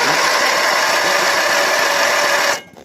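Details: Briggs 12.5 hp side-valve engine with spark and fuel present: fast even starter whirr with barely any compression beat, never fires. Low compression from tight intake valve clearance; valve lash adjustment is the fix.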